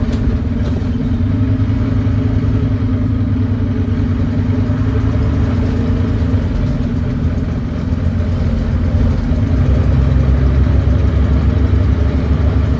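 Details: Volvo B9TL Wright Eclipse Gemini bus, Volvo D9B 9.3 L Euro 4 diesel, ZF Ecolife 6-speed: heavy labouring uphill with a rough, chuffing rasp that swells under load and through the downshift; exhaust leak.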